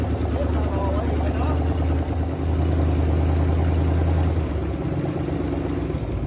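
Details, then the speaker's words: 1979 Chevy C30 V8 first run after eight years sitting: low, slightly uneven lumpy idle, not yet settled; owner notes exhaust leaks and power steering not working. "first time running eight years i've been sitting for eight years fires up in oh idols"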